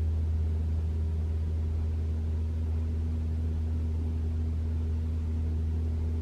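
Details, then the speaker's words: 2021 Toyota RAV4 Prime SE started in EV mode at 49°F, heater Auto high, AC off, checking for intermittent loud heat pump noise; even low hum with faint steady tone, no loud honk: normal heat pump hum. "all right nothing I can hear the humming of the heat pump but it didn't make the loud noise"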